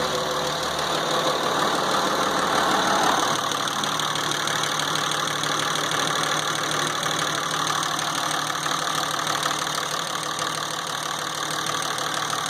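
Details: 2006 Dodge Ram 2500 with 5.9 Cummins diesel, after troubleshooting the P0203 and P2146 injector circuit codes and removing and refitting the injector. Steady idle clatter at about three beats a second, even with no misses; normal idle.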